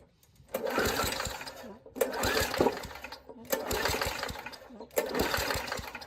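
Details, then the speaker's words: Old Murray push mower, 3.5 hp Tecumseh engine (about 1989–99), after a spark plug swap and shots of gas: four rough pull-start bursts, coughs but never catches; owner suspects the carburetor is shot. "well let's give it a little more gas and see what happens think a carburetor is shot"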